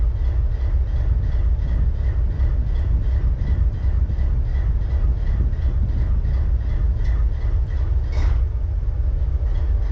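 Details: BNSF 4583 locomotive diesel at idle: heavy, uneven chuffing about three pulses a second with a skipping rhythm, indicating a misfire.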